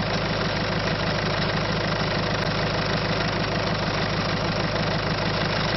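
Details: Citroën C5 1.6 HDi diesel with a lack-of-power complaint, idling with a rough, gravelly clatter repeating about 194 times per minute over a steady drone; abnormal engine noise, cause unknown.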